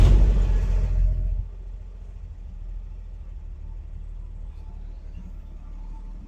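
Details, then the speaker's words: 1957 Chevy 3100 truck, revived after years sitting: a short rev drops to a soft, even low idle about four beats a second; it idles steadily and runs good. "but I mean it runs good"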